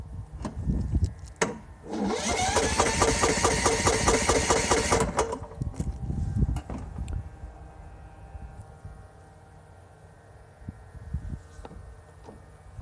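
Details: Lawn mower: steady rapid cranking for about three seconds, then it dies away without catching. Cranks but won't start.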